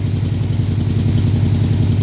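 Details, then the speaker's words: Old Dodge truck (Little Red Express clone) V8 idling after about 10 minutes of running. Deep, uneven puffing beat from several exhaust leaks around the headers. "it's been running for about 10 minutes now you can hear the exhaust leak there are definitely a few of them around the headers"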